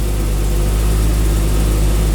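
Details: 1987 Jaguar XJ-SC 3.6 manual with sports exhaust, cold start after an oil change: smooth, even low idle rumble with no knocks, ticks or misses; oil pressure light goes off and the slow gauge rises, which is a sender issue.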